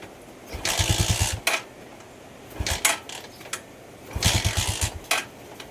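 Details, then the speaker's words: Rusi Macho 175 with a good spark: three short bursts of firing, each dying within a second, so it catches but won't keep running. Water was found in the carburetor. "nag aandar na siya pero hindi tumutuloy."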